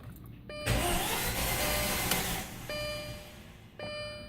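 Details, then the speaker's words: 2006 Audi A4 Quattro 2.0 turbo, battery just replaced, never yet run since purchase: key turned, short whirring crank with electrical tones, engine never catches; owner unsure if starter or something else; crank no-start. "got an O six Oddie a4 Quattro here with the two turbo and it won't start here's what it's doing"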